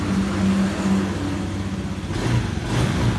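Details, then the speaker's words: Honda Beat/Scoopy scooter with intermittent electrical fault, running after a wire is jumpered to ground; low even engine beat with a couple of light throttle blips rising and settling cleanly; normal running. "Ini di starter pun hidup, klakson hidup, semua hidup. Nah, hidup semua. Nah, hidup, motor hidup."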